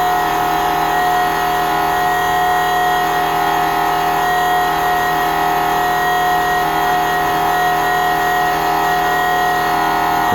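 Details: 1999 Nissan Frontier VG33E turbo, Fuelab fuel pump in stock tank with custom sump, first startup commanded via Racepak in low-speed mode: steady high-pitched hum, constant tone, no surging or rattling; normal fuel pump operation.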